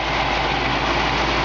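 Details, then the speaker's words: 1965 Ford Mustang convertible, restored, with original Ford air conditioning. Smooth steady idle with even low rumble, no knocks or ticks; classic Mustang exhaust sound, normal idle. "it's got a nice sound and exhaust got classic Mustang sound"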